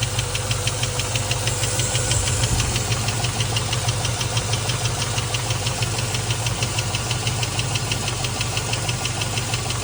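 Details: Land Rover Discovery 1 4.0 V8 idling with a sharp, regular tick about three times a second; owner unsure whether lifter, rocker or knock.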